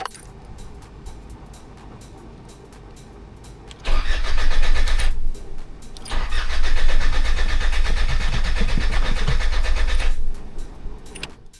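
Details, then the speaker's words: 1994 Mitsubishi NJ Pajero 2.8L turbo diesel, unused about two months after overheating, cold start after two glow plug cycles: quiet cranking, catches and roars, then dips and stumbles unevenly; hard start, owner suspects fuel leaked down and sucked in air. "And yeah, it might have leaked down with that air. Huh. Yeah, a bit of a stumble. Mh. Doesn't normally do that."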